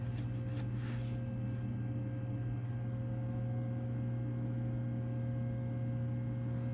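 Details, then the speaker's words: Power Mac G5 Quad (4×2.5 GHz PowerPC G5), liquid-cooled, first boot, phone held close: steady low hum and airy jet-like roar as cooling spools up at power-on, quieter once booted; normal startup fan noise. "so like a jet engine uh warming up not that loud so okay now the yep it's booting up as soon as it boots up it becomes much quieter"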